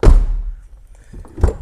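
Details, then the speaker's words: Rover 75 V6 door latch after mechanism was removed, gritty grease cleaned out with brake cleaner and relubricated, with rod adjustment suspected as a cause: solid thunk as latch catches cleanly with an easy single pop, softer follow-up knock; latching properly. "and now the door does seem to latch itself properly every time I shut it with an easy single pop"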